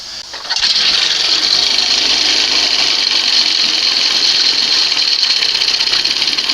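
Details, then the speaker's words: 1971 Johnson 20 HP outboard after swapping its cleaned 25 HP carb for a late-1980s carb, warming up: fires and holds a smooth, even buzzy run without misses or surging; runs better, sounds better, much quieter. "So this is a case where she runs better, sounds better, much quieter with the smaller carb."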